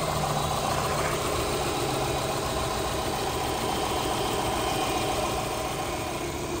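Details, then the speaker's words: 2009 Subaru Forester with newly installed remanufactured EJ253 2.5L four-cylinder, first start-ups, some smoke from burning oil, possibly power steering lines; steady idle with a light regular tick about three to four per second, source not yet identified. "he's running what seems to be fun now a little bit of smoke coming up from burning oil but I'm gonna give everything a once over it's making a small ticking noise I'm going to address that"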